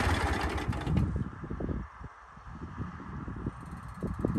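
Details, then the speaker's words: Toro MX5050 zero-turn with Kohler KT735 24 hp engine, hot after mowing, after restoring the fuel solenoid pin and replacing the brake box: engine winds down smoothly and stops cleanly with no backfire, pops or sputter; normal hot shutdown. "Now after mowing some, the motor's hot. Whenever I shut it off, it should shut off just like normal with no backfiring, sputtering, or anything."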